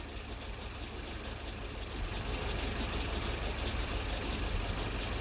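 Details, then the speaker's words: WW2 Willys jeep engine tuned with a Colortune plug, mixture deliberately set lean (flame white and intermittent): low heavy idle with uneven labouring beat about three a second and faint knocking, possible detonation; lean mixture rough idle. "Yeah, white and intermittent. Yeah, I can see the whiteness, but the engine's running really intermittently."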